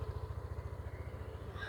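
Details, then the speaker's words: Yamaha Aerox 155 scooter after repair of sudden stalling with error code 12 and re-secured wiring connection; even low putter at idle, no misses or knocks, running normally again — normal idle. "Sekarang tinggal kita nyalakan motornya. Motor sudah kembali normal, sudah nyala normal seperti biasanya."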